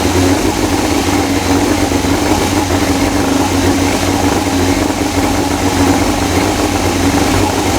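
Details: 2000 Yamaha YZF R6 idling after the carburettor install and reconnecting the carb coolant hose. Steady, even idle with a smooth low drone and no misses, knocks or hunting; it runs clean.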